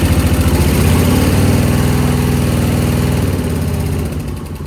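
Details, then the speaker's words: Suzuki VS1400 Intruder V-twin, cold start after carb work, pump primed, pilot jets cleared, choke on, fresh battery: lumpy, uneven loping idle that fades; front cylinder warming, rear ice cold, running on one cylinder. "Which one is it? Front one's starting to feel a little warm. The back one feels ice cold."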